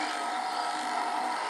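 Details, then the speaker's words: EQ20 bobbin winder running normally: a steady thin whine at one pitch with no catches or rattles, with the thread laying up and down under good tension. "you'll notice it's playing up and down filling the bobbin you can adjust the tension right here I like to hear it whine a little bit"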